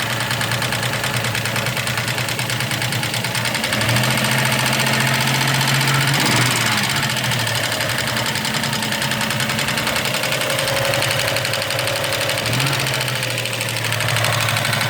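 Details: 1993 Toyota 4Runner 3.0 V6, 242k miles, idling with a light regular ticking over a steady hum; owner asks bad motor or valve lash adjustment, unconfirmed.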